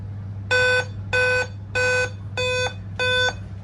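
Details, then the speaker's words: Dell laptop at startup gives five evenly spaced mid-pitch beeps over a low hum, a code for a dead CMOS battery; fixed by replacing the CMOS battery. "this problem because of c mouse barity that barity if D 5 b sound coming that means c mouse battery problem we need to change couse bity"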